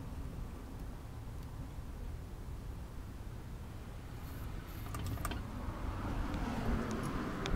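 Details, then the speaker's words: 1964 Chevy C10 with the 230 inline-six just after start-up, idling roughly with an uneven, stumbling, misfiring beat and struggling to keep running before stalling. "it just turns off like that. Sounds pretty bad, but it'll get better."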